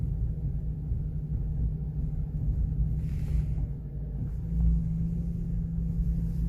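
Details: Ford Focus 2 idling, a low steady hum swelling briefly from the power steering pump; after adding (presumably fluid) the problem was said to be solved.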